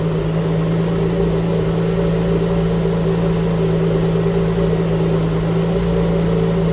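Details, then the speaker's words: Alfa Romeo GTV V6 after mechanical restoration, just started: smooth even idle with a steady low drone, no knocks, misses or ticks, smoke from burning-off oil residue; normal idle. "let's hear it run properly oh yes all the smoke is going to be from unburned oil and stuff which has got over the engine once that all that heats up it will burn away"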